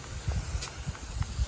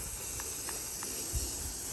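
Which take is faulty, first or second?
second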